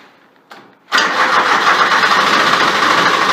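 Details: Grasshopper 721D diesel mower, unused for one to two weeks, after about 20 seconds of glow plug preheat: sharp relay click, then it catches almost at once and settles into a steady even run; normal diesel start.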